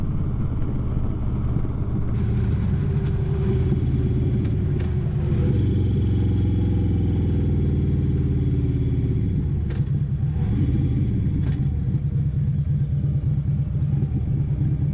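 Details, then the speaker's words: 2011 Harley-Davidson Road Glide CVO with partially gutted exhaust, on a ride: a deep lumpy uneven exhaust throb with wind and road noise, sounding like it runs on one cylinder. Cause not identified. "Sounds like it's running on one cylinder. Well, I can't say I like that exhaust note, that's for sure. Sounds like dog shit."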